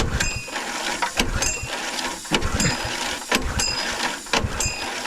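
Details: Gas-engine air compressor on a 1980 K-Whopper picker truck, started to build air: it thumps along at about one beat a second with a sharp clatter each stroke and runs normally.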